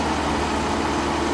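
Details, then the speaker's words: 2019 Dodge Ram 1500 Classic Tradesman after throttle body and intake cleaning and reinstall: short, steady, even idle hum with radiator fan whoosh, no stumble or surge; running normally. "All right, so we're going to turn on the truck and see how she pers. Okay, everything seems to be running perfectly. Radiator fan is good."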